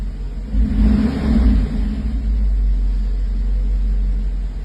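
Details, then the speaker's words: 1984 Mercedes 380SL after its 40-year-old ECU was replaced with a new-old-stock unit to cure rough idle and black smoke: a deep rumble with a brief early swell, then an even idle with no misses, slight discharge and no black smoke. "it definitely was the engine control unit um if you know 40-year-old part it it happens uh but she's back to normal"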